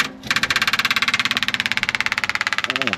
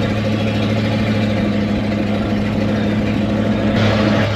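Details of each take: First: 1979 Chevrolet C20 camper special with a 454 big-block, sitting about 13 years, first start attempts after charging the battery: it runs rough and lumpy, cutting in and out, with one cylinder not firing; a misfire. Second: 1979 Chevrolet C20 camper special with 454 big-block V8, revived after sitting about 13 years, cruising about a mile and a half in: steady deep V8 drone, even low hum, no knocks or misses; normal running.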